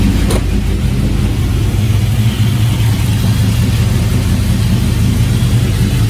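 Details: Porsche Cayenne that had not been started in over a week, running after a jump start; steady, even run with firm low rumble, no knocks or misses, healthy.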